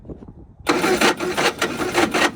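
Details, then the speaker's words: 1960 Triumph Herald dormant 42 years, first start attempts: slow starter cranking then a second of ragged catching bursts that die away, nearly fires; fuel leaking from the carburetor fitting, possibly too much fuel getting in, bolt seems stuck. "Well, that one might be an issue. Everybody see that? Yeah. it's like ready to blow up. It's leaking out the fitting on the carburetor."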